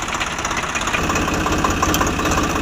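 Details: Swaraj 744 FE tractor at idle, gearbox noise present in every gear and at idle, worse under field load: rough rattling gear chatter over the engine beat.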